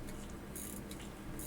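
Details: Pocket watch movement during final assembly into a swing-out case: quiet rapid fine ratchet clicks as the crown is turned, crisp and even, no slipping; normal winding.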